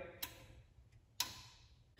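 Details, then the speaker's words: Briggs & Stratton 15.5 hp single-cylinder lawn tractor (Walbro carburetor), key turned to on with clutch/brake pressed: quiet, then short sharp clicks as the relocated electronic fuel shutoff solenoid energises; working properly. "okay so that click was showing that the fuel cell sound like it was working properly"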